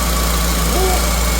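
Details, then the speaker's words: 1977 GMC Motorhome, Oldsmobile 455 big-block V8 converted to ACE KillShot fuel injection with GM HEI distributor, warm after restart: steady, even low rumble at settled idle, no misses, stumbles or knocks; fans not running, no smoke, no leaks. Normal idle. "Okay, we're idling just fine. Fans are not running."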